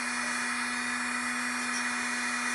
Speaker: when I tell people this is the process I can describe it all day but unless you can actually hear this you don't know what's you're in for that's getting close to top speed right there